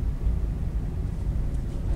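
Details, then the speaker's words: Daihatsu Sigra (type M) on test drive after dashboard repair: steady low road rumble, no tek-tek ticking from dash; rattle likely caused by wiring under dash touching a panel, now fixed. "Alhamdulillah sudah tidak ada lagi suara di sini ya ini posisinya kami tes"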